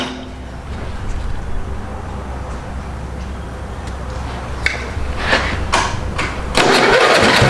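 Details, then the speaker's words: Mini hot rod's small engine on choke: catches after a few cranks, then runs lumpy and uneven, stumbling at low speed; owner suspects a stuck valve. "you might hear it running there we've been trying to figure out what's going on and I think that motor had a stuck valve"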